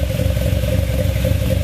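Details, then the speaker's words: Cavalier cold start on old stale gas, running very rich with white steam condensation: loud lumpy low chugging with uneven pulses and clatter at rough cold idle. "that's just White Steam condensation you can see the water there cuz it runs so rich"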